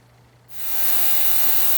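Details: Ultrasonic cleaner cleaning the carburetor parts of a Craftsman snowblower with a Tecumseh engine, during a tune-up: half a second of quiet mains hum, then a loud steady hiss that holds evenly; normal operation.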